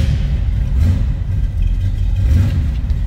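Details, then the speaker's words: 1979 Chevrolet Malibu Coupe, 383 stroker V8, odometer 47,289, cold start: deep steady V8 rumble with smooth revving and no knocks or ticks; healthy, even normal running. "Let's fire this up, let you hear it run. It's like I said, 383 stroker, and it sounds good."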